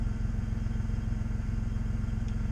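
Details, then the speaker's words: 2002 Audi A4 Quattro 3.0 with misfire, idling after replacing half the coil packs, codes not yet cleared; fast, fairly steady pulsing beat and low drone, possibly slight unevenness. Owner thinks it sounds smoother, misfire not clearly gone. "I was going to clear the codes, see if that fixed the misfire once I finished, but I didn't finish."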